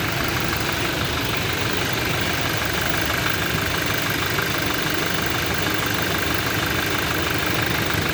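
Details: Toyota Innova undergoing mechanical engine diagnosis: steady idle with a dull, fairly even knock about three times a second under the engine drone; internal engine knocking suspected, not confirmed.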